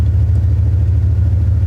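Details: 2001 Dodge Ram 1500 5.2 V8, long-sitting, after new spark plugs, fogging oil and gas tank repair: steady low burble with even pulses, nothing knocking or ticking; idling cleanly, no current or historic codes.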